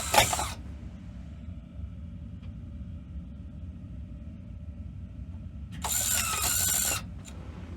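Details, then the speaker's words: 1986 Sony SL-700 Betamax VCR transport: short whirring ratchet bursts at the start and near the end with quiet hum between, cycling erratically. Owner suspects dirty switches or capstan instability; not confirmed. "H power very odd lot of weird ciscon stuff going on right now God why does that sound like that sounds like"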